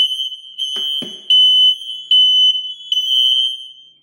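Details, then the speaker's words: Kidde/Firex ionization smoke alarms, possibly model 1275, mains power cut for battery test, then sensor test; loud high-pitched repeating bursts with a second interconnected unit joining in: interconnection and alarms working normally. "we could also verify that the interconnection and wires are correctly wired because we also hear the smoke alarm sounding"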